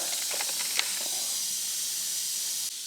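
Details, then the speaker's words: Punctured front turf tire on a John Deere tractor: a steady sharp hiss of escaping air, slightly firmer at first as the hole is reamed to prepare it for a plug. "basically what's going to do is kind of smooth out that hole a little bit and get it prepared for the plug so we hear the air start coming out a little bit firmer"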